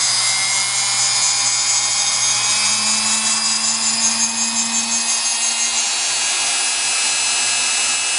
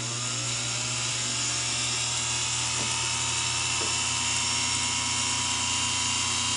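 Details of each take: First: Singer PA-style sewing machine motor from a model 600, running after deliberately being soaked with over 50 drops of oil and then cleaned with Krud Kutter: steady high-pitched whir at an even speed, no grinding or surging; healthy. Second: Singer PA-style sewing machine motor from a model 600, deliberately dosed with oil: high, thin whine wavers and sags as it slows; visible brush sparking and brush rattle from oil on the commutator.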